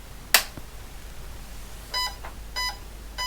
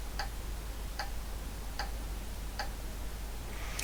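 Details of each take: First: Vintage IBM PC powered on with a switch click, then short, high, buzzy beeps about every two-thirds of a second and a blank screen; POST error for no usable RAM, with faulty RAM chips fitted in the first bank. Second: Vintage IBM PC after replacing a RAM device with two piggybacked 64K DRAMs, powered up: light, even ticks about every 0.8 s over steady hiss during memory check, then reports all 512K RAM; normal power-on self-test.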